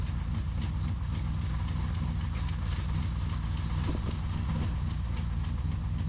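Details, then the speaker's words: 1983 Pontiac Firebird V8, back running after years off the road, warming up after the valves were relashed. A quick light ticking rides over a rough, rumbling idle. It is a top-end valve train tick, and the engine was then found to have zero oil pressure. "starting to get warm I don't know what that noise is probably shouldn't beat on it he's going to try a second de GE Burnie but boy is it making some racket"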